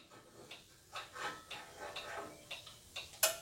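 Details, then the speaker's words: Skutt 40-litre test kiln, first firing: a few soft taps as the lid lowers, then one crisp click confirming the lid safety switch contact, which gives no direct alert if missed; normal lid safety switch click. "qu'on entende ce petit claque et quand il est en position haute et que vous avez bien entendu le petit claque et bien ça y est tout va bien marcher bien"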